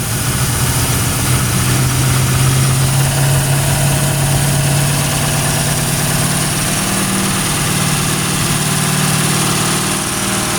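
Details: Original 1971 Ford Torino after 25-30 years stored in a garage, with Marvel oil in the cylinders and 2-stroke gasoline. Lumpy, wandering rough idle, pumping oil out the back. Runs "stoved up", possibly from the oil being pushed through it, cause unconfirmed. Rough idle.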